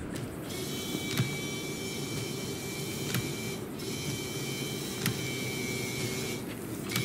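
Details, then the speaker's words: 2016 Mercedes-Benz GLE350 (W166) windshield washer, button held: steady electric pump whir but no fluid sound; pump motor works, nothing sprays, caused by a clogged rubber grommet filter in the reservoir under the driver's front wheel well. "now you should be able to hear the motor turning so one of the things that can cause this not to work is a bad uh wiper uh pump motor but the pump motor is working but I'm still not getting anything out"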